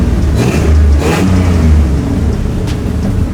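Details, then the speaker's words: 3.4L V6-swapped Toyota truck after replacing cheap aftermarket coils with OEM: revs up and settles smoothly, no more misfire or backfire, with raspy, uneven puffing from a huge exhaust leak. "It obviously sounds a little funky because there's a huge exhaust leak up here, but it actually revs smooth."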